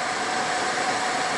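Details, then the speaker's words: Repaired Suburban SF-30 RV furnace (new control board, ignitor, sail switch) on first test: even, steady airflow with faint constant fan-motor whine ahead of ignition, which then lights and heats; blower running normally. "I can hear it whoo it almost went I heard and I heard something they don't try again in a second here oh that sounds good we have heat"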